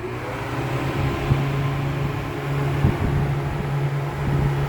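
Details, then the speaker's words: Honda Accord radiator cooling fans, wired straight to the battery through a cabin switch with the plug removed: a steady whirring hum with no scraping, wobble or rattle as the fans kick on; running normally. "the fans are gonna kick on so there we go"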